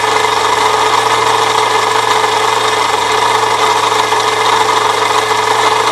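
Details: 1998 Saturn SL2 at idle: a constant raspy scraping hiss and low hum from the belt area. A shorter belt bypassing the A/C compressor pulley did not stop it; the water pump is suspected next, source unconfirmed.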